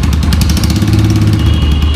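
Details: Yamaha YBR 125 ESD single-cylinder engine after full restoration: steady, even thrum at idle with no knocks or misses; normal, healthy idle.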